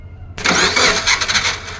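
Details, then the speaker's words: 2007 Subaru Forester engine cranked via jumper on starter control line, not starting: starter makes a harsh high-pitched buzz while cranking; bad starter clutch suspected, starter about to fail. "Yeah, that buzzing sound. Free diagnosis for you, my guy. You have a bad starter clutch. That starter is about to go out."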